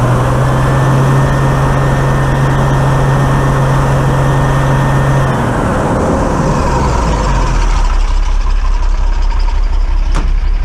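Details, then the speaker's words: Dennis Dart SLS bus Project 114, diesel, warmed up idling 10–15 minutes after removing part of fuel system: full-throttle pull with uneven stumbling beat, then lumpy idle; misfire remains but much improved, owner suspects a rear injector. "you see that there was still a misfire in there although it's a massive Improvement to what we were getting so we are on the right course for the problems"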